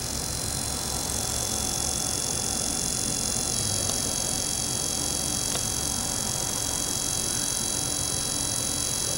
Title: Trex 250 full cyclic on throttle servo making buzzing noise